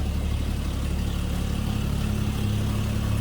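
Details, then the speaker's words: 1950 Chevrolet 3600 truck inline six, heard from the rear at idle: smooth, even low rumble with a steady beat and no knocks or misses; idles as it should, normal idle. "Guess it sounds like you'd expect an inline 6 to sound."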